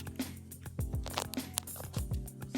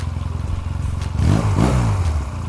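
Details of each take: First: 1986 Honda Rebel 250 CMX hot, where starter clutch fails to engage once warm: clicking then a steady airy whir with the starter chain spinning and engine not turning over; worn rollers, pins and springs in starter clutch, to be replaced. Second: 1986 Honda Rebel 250 CMX, hot restart after a ride, following a starter clutch replacement: brief crank, then it catches cleanly, revs once and settles; the starter engages hot without slipping.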